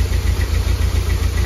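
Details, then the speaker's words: 1991 Nissan 240SX petrol engine running after oil flush and fuel treatment, before new plugs, wires, cap and rotor; uneven stumbling idle with irregular dips from misfiring, the engine shaking heavily on its mounts. "did you hear that that's misfiring this was firing like crazy"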